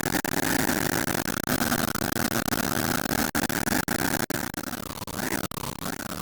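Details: Engine knocking after refueling: busy running engine with a sharp, rattly knock at idle; cause unclear.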